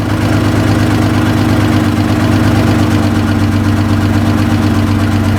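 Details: 2014 Chrysler Town & Country 3.6L V6 at idle, codes P0300/P0305, running rich (-33 trims), low manifold vacuum 2.3 inHg, new plugs, coils, injectors didn't fix it; uneven lumpy misfiring beat, cam timing found advanced.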